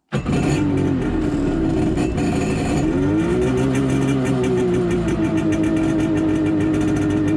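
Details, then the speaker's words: Jet ski after a suspected engine failure, pump recently apart: it starts and idles with a wavering buzzy drone plus mechanical clatter from the pump; owner finds the pump very noisy, maybe from the reassembly, while the engine itself sounds good. "the pump is very noisy which kind of concerns me it shouldn't be um because i just had it apart maybe that's why it's noisy"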